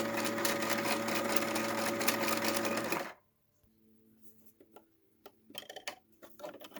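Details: Janome 2030QDC computerized sewing machine after lubrication. Smooth, even whirr with a steady rhythm for three seconds, then it stops; it runs cleanly with no grinding or clatter.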